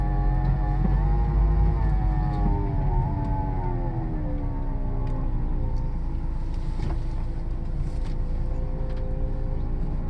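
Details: 2007 Dodge Caliber, 70k miles, CVT: a moaning whine rises and falls in pitch with speed over the engine drone when accelerating and decelerating, only at low speed; the transmission shows no slipping, cause not yet pinned down.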